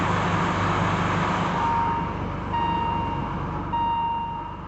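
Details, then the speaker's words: 1985 BMW 635 CSi after fuel system pressurised: steady, even engine beat with a light whoosh and faint occasional chime; normal running. "that sounds like a running"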